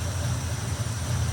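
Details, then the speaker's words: 1957 Chevy Bel Air Nomad V8 with dieseling and stalling problem, timing pulled back from 38° to 34°, carb mixture screws unequal (backs half turn, front two): deep lopey idle rising and falling while adjusting; uneven idle from mis-set mixture. "Notice how you can hear it starting to idle different?"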